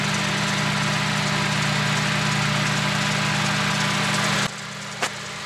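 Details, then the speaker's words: Daihatsu Charade petrol after new high-tension wires, carburettor and fuel tank cleaning for hard starting: smooth steady idle, constant low hum, no misses or knocks until shut off, no smoke; hard starting cured. "Ayun, ayos ang tunog. Diba? Ganda na tunog niya. Hindi na siya hard starting. Ayos na siya."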